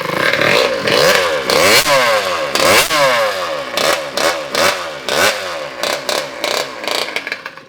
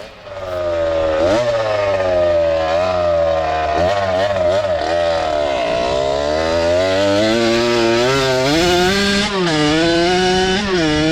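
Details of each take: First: Kawasaki KX85 two-stroke engine swapped into a Harley-Davidson SS125 trail bike, freshly rebuilt, no muffler: crisp open-pipe ringing through throttle blips, revs rising and falling cleanly with no knock; runs well. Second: Harley-Davidson SS125 trail bike swapped to a fresh Kawasaki KX85 two-stroke on its first ride: revs rise and sag unevenly under throttle, bogging outside the power band; the riders suspect it is running out of gas.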